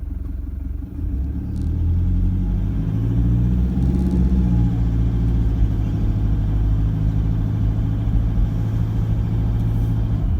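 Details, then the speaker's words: Toyota Prado diesel after injector replacement and remap, cruising at low speed on a quiet street with window down: deep even rumble, no sharp knock; a slight rattle heard with window up. Normal diesel running. "sounds fairly normal to me with a window down"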